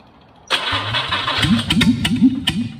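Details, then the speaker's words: Jaguar 420 straight-six on a test rig, stored since about 1986–88, 56,000 miles: cranks, catches and settles into an uneven, lumpy idle with pulses varying in strength; owner suspects an air leak at the rear carburettor. "I think I might have an air leak on one of the on the rear Cal it it's just not running perfect but anyway it's running good enough for you lot"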